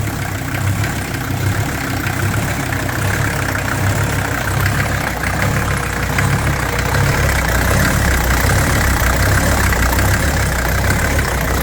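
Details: 1983 Mercedes 300D, OM617 five-cylinder turbo diesel, still burning oil with shot turbo seals and oil well over full: idle won't hold steady, heavy low rumble slowly swelling and easing; idle surging.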